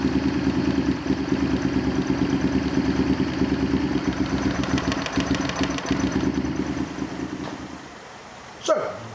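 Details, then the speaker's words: Honda VTR Firestorm V-twin at idle after carburettor vacuum adjustment: lumpy, wandering beat that sags and fades out; running better but still not right, idle remains uneven. "firestorm is running better but it's not quite right so we're going to leave it there for now"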